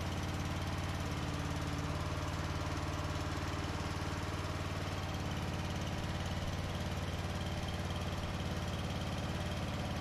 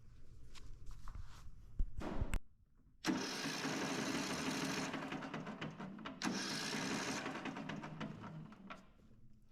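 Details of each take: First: 2004 Craftsman 30-inch Murray-built mid-engine mower, small single-cylinder, cold start after carburetor adjustment: steady, even low thump at idle with no misses or knocks; runs fine. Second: 2004 Craftsman 30-inch mid-engine rider built by Murray, cranking: the starter spins the engine fast and free with no compression pulses and a weird clunk (owner suspects a busted rod).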